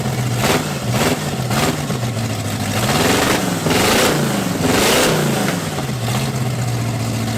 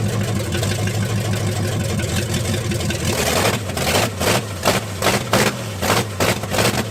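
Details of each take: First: Cadillac big V8 on a new carburetor and ignition, cold day, timing unchecked: repeated uneven, rich-sounding surging revs; choke not working, stuck, to be wire-tied wide open. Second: Cadillac big V8 after sitting neglected a few months, with new ignition and a used replacement carb (previous Holley was flooding), timing unchecked: smooth even burble at idle, clean sharp throttle blips with no stumble or knock; normal idle.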